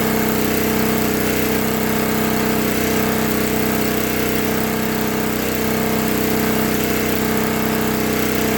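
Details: 1964 Lincoln Weldanpower 150 AC generator/arc welder (year guessed) after repair: new coil, condenser, plug, plug wire, fuel line, filter, and reset points. The magnet had been rubbing the coil. Steady high-revving single-cylinder drone under welding load (6011 rod), even hum, no misses or knocks. Healthy.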